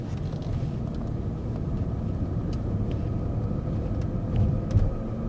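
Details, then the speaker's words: BMW 740 (G series) at 76,000 km, driving from about 40–50 km/h: a steady droning hum from underneath. Cause was three severely worn differential bearings, replaced along with the bearing seat. "客户反映呢是开到50码以上，然后下面那种嗡很响。"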